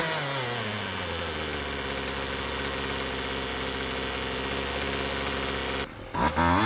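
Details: Poulan Pro PP28 two-stroke string trimmer, idle speed raised and low-speed needle adjusted: after a brief falling pitch it settles into an even, steady buzzing idle with no stumbles; running properly.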